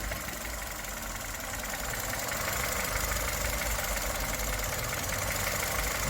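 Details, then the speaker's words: 2011 Chevrolet Spark petrol engine idling, rpm rising and falling unevenly; car shakes and stalls silently at stops and low speed; fault later diagnosed in fuel and intake systems. "rpm 이 오르락 내리락 하고 아 정차 지에 오늘 어느 순간 딱 치고 이 꺼진다"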